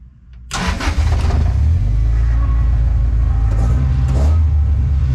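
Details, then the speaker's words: Toyota Altezza 3S-GE Beams engine with ITBs, Haltech Elite 550, first startup, custom 2.5 in Magnaflow exhaust, mic in car: short crank, clean catch into firm steady idle, throaty intake, no misfire; good oil pressure, normal start. "so she's alive finally good oil pressure"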